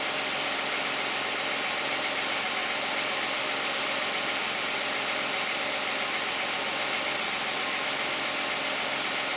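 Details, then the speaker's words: 2010 Toyota Camry 3.5 V6, 93,000 miles, Pennzoil Ultra 5W-30 synthetic, heard with the hood closed: smooth, even idle with a steady quiet hum and no knocks or ticks; normal idle. "I think it sounds pretty quiet."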